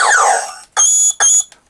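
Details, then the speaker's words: Vintage New Adventures of He-Man Power Sword toy after speaker repair: shrill electronic zapping tones repeat in short bursts about every half second and don't stop unless a button is held; sound circuit stuck triggering. "But yeah, if I let go of that button, you can hear it just keeps making a noise."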